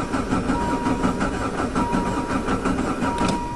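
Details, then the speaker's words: Diesel van with Jetta engine conversion, sat since fall, injection pump getting corroded, glow plugs held 10-15 s: a steady starter churn that never catches. The pump had lost fuel and seemed empty; it later started after priming with hand-pressurized diesel. "It's just sucking that fuel that's ran away. [Music] started better than that in the winter time. Try again. [Music] Come on, baby. It's never taken this long."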